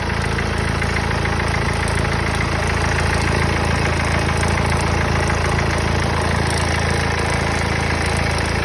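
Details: Mercedes OM651 diesel idling steadily with a quick, fairly even tapping about three times a second over the clatter; the source of the engine noise is unclear.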